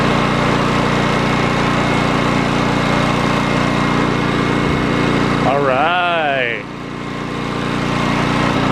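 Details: Old Honda generator salvaged from the dump, after repair: steady, even drone with constant pitch and no misses, surging or knocking; engine running cleanly at governed speed.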